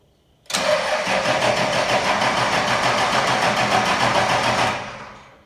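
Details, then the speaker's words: Cummins-swapped truck after P-pump installation, primed: steady fast cranking about three to four turns a second without catching, purging air and checking for leaks until injector lines squirt diesel. "Okay, so now I'm gonna crank it over and check for leaks, and then we're gonna crank it until the injector line is squirting."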